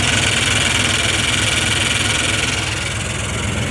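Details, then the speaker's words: Ford Bronco with a newly charged 20-year-old AC system at idle: a loud hissing rattle and steady churn that grows when the AC engages, and the engine load changes. Compressor sounds worn though it blows cold-ish air; cause suspected, not confirmed. "I think that compressor is on its last 5 little piggies. It is blowing cold air though."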